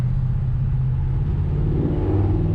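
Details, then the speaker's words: 357ci small-block Chevy (10:1, Torker manifold) with TH400 and B&M 3000 stall converter, driving uphill: deep even V8 rumble flashes to about 2200 rpm and holds under load, no slip noise; normal converter stall flash. "Flashes up to around about 2200 revs."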